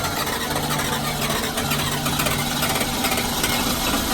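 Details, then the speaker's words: 1997 Ford F-250 4x4 7.3 Powerstroke diesel, long-sat no-start fixed with new wiring harness after arcing wires: after some cranking it catches and settles into a steady, slightly rough clatter without stumbling; running normally again. "And once he got the new harness for that, it started right up. A little bit of cranking because it had sat for quite a while, but all in all, in the end, it did fire up, and all the issues seem to have been resolved."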